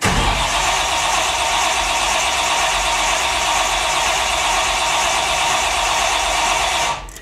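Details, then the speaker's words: Cold-day start of a 1957 Chevy with a 350 V8 on two four-barrel carbs and no choke: a long steady starter whirr that never catches; primed, it usually fires right away and started once the pedal was floored. "ah give it a second usually it fires up right away but it is cold out today give it a second"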